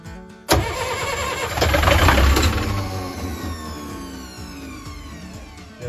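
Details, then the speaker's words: 40 hp marine diesel not started in years, cranking without glow plugs: sharp crank kicks in, surges, then a whine falls away as the starter spins down; the starter engaged and kicked back, but the engine did crank. "hold there for a second so that spin down noise that you just heard was uh the starter motor engaging a kicking back okay um but it did crank"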